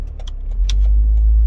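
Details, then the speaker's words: Volvo XC90 idling after replacing two engine mounts: a few key jingles, then low steady even engine drone with no shudder, knock or pedal vibration as before; smooth idle, vibration fixed. "can't feel anything on the accelerator no vibration it just it feels totally different it feels smooth"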